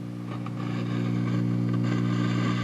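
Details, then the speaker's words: Valco Chicago 51 6V6 tube guitar amp, volume cranked: steady low hum with irregular crunchy crackles and pops when rocking the preamp tube socket, which relies on its pop rivets for grounding. "if I were to rock this tube socket hear that crunchy crunchy that's because it relies on all of its grounds through those pop rits"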